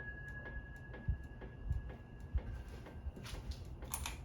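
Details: Harbor Breeze Centreville ceiling fan: uneven soft thumps and light ticks, one to two a second, over a faint motor hum. It wobbles because one blade is bent up, even with the mounting bracket tightened. The capacitor is also slightly bad on high.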